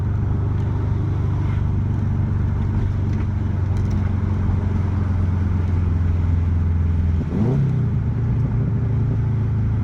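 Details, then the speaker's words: Built 2.5 block hybrid swap with turbo, stage 2 cams and stage 2 clutch, just past Cobb's 1000-mile break-in. Coming to a stop, deep choppy idle dips for a few seconds then kicks back up; normal cam lope. "and then I do have the stage 2 cams, so when I come to a stop you'll hear it kind of lope and kind of the RPMs will drop for like a few seconds and then it'll kick right back up."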